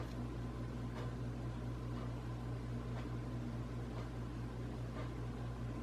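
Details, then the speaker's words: Casablanca Hampshire ceiling fan from 2007-2008, running in reverse: low hum with faint scraping grinding tick about once a second, louder in reverse; blades tight, no visible rubbing, cause unknown. "it definitely seems a lot louder on reverse hear that is kind of grinding"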